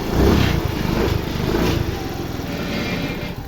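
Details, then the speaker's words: Yamaha Fascino BS6 scooter after repairing the injector wiring fault: starts and idles with a quick, even putter, running steadily with no problems. "Friends അങ്ങനെ നമ്മുടെ വണ്ടി start ആയി പ്രശ്നങ്ങൾ ഒന്നുമില്ല"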